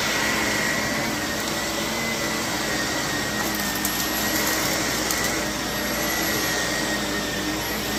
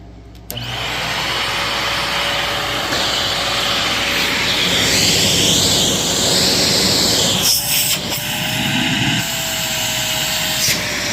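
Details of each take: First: Used Shark vacuum (CU510 or NV60 bought cheap) running: steady roar with a thin, faint high squeak on top. The owner suspects it will need a new brush roll. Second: Shark Navigator NV60 upright vacuum, bought used and plugged in untouched: the motor spins up quickly and settles into an even, steady rushing whir with good airflow. It runs normally.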